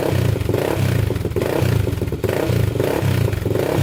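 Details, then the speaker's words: 1999 Honda 400EX quad after rebuild, first start after two days sitting, fuel on with choke: single cylinder blipped in quick throttle bursts about twice a second for break-in, revving crisply with no misfire, knock or smoke. "man that sounds good no smoke coming out the back so we're still good there sounds really good i'm gonna keep on flipping the throttle just to uh get this to break in here a little bit"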